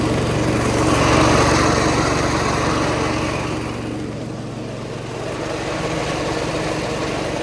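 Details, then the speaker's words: Cub Cadet 105 lawn tractor, not yet warmed up, 42-inch deck blades engaged and throttled back to idle: engine steady with a raspy whirring on top; the deck idler pulley is noisy, fix planned for winter. "as you can see that idle rep pull is noisy and I don't like that but I'll get it fixed when uh the winter comes"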